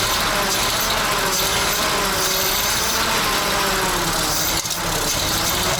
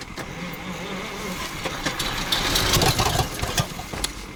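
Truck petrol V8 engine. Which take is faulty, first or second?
second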